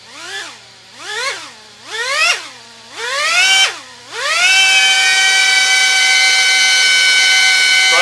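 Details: GEPRC Tinygo 4K RTF drone with flyaway problems: tiny motors whine up and down in four quick bursts on throttle, then hold a high, steady scream; throttle surging, cause unknown.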